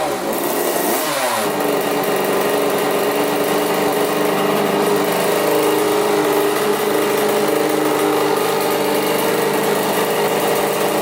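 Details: 1985 Yamaha YZ80 two-stroke, first start after rebuild on 41 premix: high buzzing engine catches quickly, then holds a clean even rev with no misses or rattles. Runs really good; owner unsure the impeller works, then sees the pump working.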